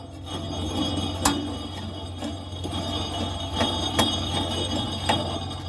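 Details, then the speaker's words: Troy-Bilt Super Bronco mower deck, spindle spun by hand: dry, gritty rasp with irregular ticks, noisier than the first. The spindle is going bad and cannot be greased. "that one's making more noise than the first one now this middle one make sure we're clear you hear the difference that spindle is going bad that one is good it barely makes any noise at all"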